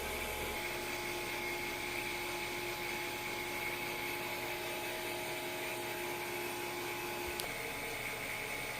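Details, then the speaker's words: Freeze dryer vacuum pump during a functional test (pressure to get below 500), no air leak found: steady high-pitched whirring hum, constant pitch, no surging or gurgling; running normally. "I don't feel this thing sucking my thumb in there. So there's no air leak here."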